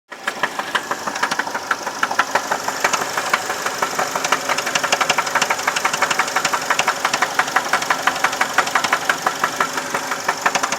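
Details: 2011 Chevy Malibu LT 4-cylinder running just after an oil change. There is a sharp, regular knock of about three per second over the running sound; the cause is unknown.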